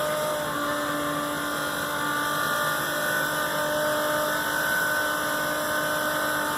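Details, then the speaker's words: Macerator pump emptying an RV black/grey holding tank into a standard toilet runs with an even, steady hum and constant whir, no surging, while chewing up debris as the tank nears empty; normal pump operation. "just chewing up debris to do that that tank pretty much empty"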